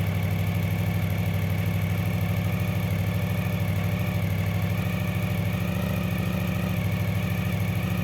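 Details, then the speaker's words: Honda VFR 750 motorcycle at idle, warmed up a bit, with a fast light rattle over the exhaust beat; owner suspects the copper exhaust manifold gasket, unconfirmed until replaced. "You can hear something is rattling and I think I know why. Most likely it's the copper gasket at the exhaust manifold, but I will know for sure once I replace it."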